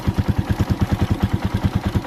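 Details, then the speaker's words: Motorcycle idling warm after idle raised slightly to stop stalling: steady, even putter with no misses or knocks; normal idle, engine and chamber warmed up. "Okay, normal lang naman na ganito yung idle ng ating motor."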